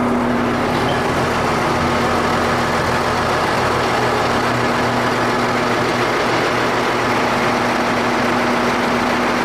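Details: Ford 8600 tractor running: loud, steady drone from under the floor, a noise linked to it failing to move; driveline fault not yet pinned down.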